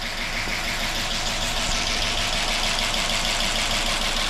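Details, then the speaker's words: 2005 Chrysler 300C AWD 5.7 HEMI just rebuilt after dropped valve seat destroyed piston and head: fast light even ticking over steady idle, no coolant in it yet, lifters still pumping up with oil; later drive runs smooth without the noises. "sounds awful but that's just a liquer pumping back up there's no cool in it it so I'm not going to run it too long but it uh it's idling hear all the lifs Bing for oil"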